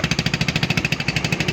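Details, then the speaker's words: AXXO Viper 180cc scooter, excessive loud exhaust noise at idle and rising with throttle: sharp hissy chuffing puffs from a burnt exhaust gasket at the cylinder head. "esto lo podemos apreciar el ruido excesivo exagerado el escape vamos a acelerar era obviamente el sonido aumenta"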